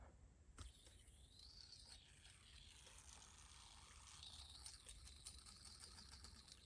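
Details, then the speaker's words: Copper Triangle V2 bearing spinning. A quiet spin with a scratchy, rattly hiss that rises and falls as it slows. The owner suspects a bad bearing and plans to swap in a Dark Matter. "we got the same noises going on, so I assume, well, from what I think, this is a bad bearing."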